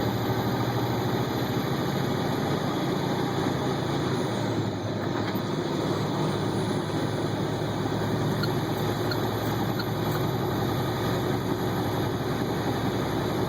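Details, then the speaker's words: 2009 International ProStar semi truck hauling a load; deep steady diesel drone under load with faint high turbo whistle spooling on top, normal. "I'll let you hear the turbo here."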